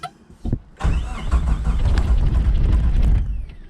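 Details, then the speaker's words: 1986 Suzuki Samurai turbo diesel cranking after glow plugs; starter labours at about three sluggish turns a second, dragging unevenly without firing; battery running flat, later charged. "one more time oh i'm about to lose my battery"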